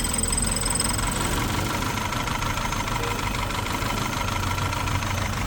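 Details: Volkswagen Passat that had shaken and stalled, no engine fault codes found, restarted after work: steady, even idle, revs slightly raised with no hunting or surging; running smoothly.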